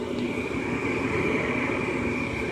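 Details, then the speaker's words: 2005 Lennox Elite series 90,000 BTU gas furnace at startup: draft inducer comes on with a steady, even whir and clean high hum, no rattle or scrape; normal draft inducer startup. "all right be right back all right there goes the draft inducer"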